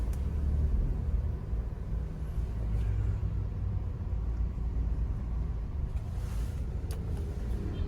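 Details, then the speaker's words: 2015 Toyota Avanza E on a test drive, recorded in the cabin with the AC on: steady low road rumble with no knocks, clunks or whine. Suspension, transmission and shafts are normal, with no odd noises; only a door creaks. "Suspensi aman, tidak ada suara aneh, transmisi tidak berisik , poros juga aman, tidak ada suara aneh."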